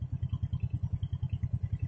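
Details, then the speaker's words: Jupiter Z motorcycle after the carburettor air screw, which had been set too tight and prevented starting, was readjusted: an even low thump at about seven beats a second at idle, with no misses or surging; it idles smoothly. "normal kalau tadi di starter nggak mau nggak mau nyamber karena setelannya nggak normal untuk setelan anginnya ya terlalu kenceng ini sudah enak loh"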